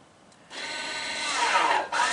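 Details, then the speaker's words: 2016 Ford F-150 electronic parking brake assembly test run via XTool D8BT scan tool to recalibrate rear actuators: two short stepper-motor whirs, applying then releasing normally. "heard the stepper motors applied and then they released."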